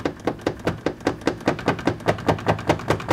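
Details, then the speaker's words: 2015 Land Rover Discovery Sport: loose underbody plastic panel flapping in 70 mph airflow, hollow thuds about 2.5 per second, mistakable for turbo noise; a piece broke off. "So as you're going down the road, wind is blowing through here at 70 miles an hour, and it's catching this flap. You can see how flappy this panel is"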